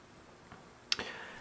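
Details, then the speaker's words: Audio-Technica AT-PL120 turntable, volume cranked all the way, before the built-in phono preamp is switched on. Only a faint, even hiss with a couple of soft clicks and no hum underneath; normal amplifier hiss. "you can hear hiss which is normal"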